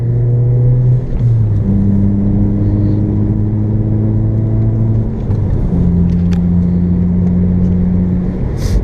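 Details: 2006 Toyota Corolla XRS after replacing a sticking driver's-side brake caliper: steady engine drone climbing through the gears with clean shifts under load and no dragging or strain; power restored.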